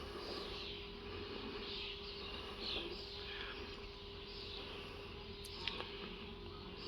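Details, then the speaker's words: Ford Transit Custom after fuel filter replacement, ignition on with engine off: quiet, steady mid-pitched whine as the fuel pump primes the new filter for about 30 seconds; normal priming. "This light's gone, hold it for 30 seconds. You can hear the pump whine"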